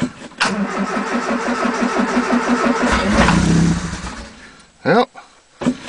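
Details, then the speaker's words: 1980 Triumph Spitfire 1500 with Weber two-barrel carb, cold start on a freezing December day after pumping the throttle: labored, uneven cranking that drags, oil pressure light goes out, battery sounds like it's giving up; slow cranking. "thankfully the battery has enough juice i don't know oh pressure light went out sounds like the battery's gonna give up"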